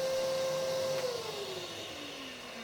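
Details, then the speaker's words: Biltema BDS915 bench band and disc sander after replacing the faulty magnetic no-volt release switch: even, clean motor hum without rattle, then winds down smoothly when switched off; healthy motor. "Máy chà nhám sẽ khởi động và chạy ổn định."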